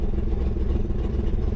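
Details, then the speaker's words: 1999 Chevrolet Camaro running with the fuel pump relay out and both fuel lines off, fuel gauge reading zero. Rough, lumpy, uneven low rumble with loose clatter. "it's kind of sounding cruddy but let's go to the front of it and i'm going to show you the fuel gauge"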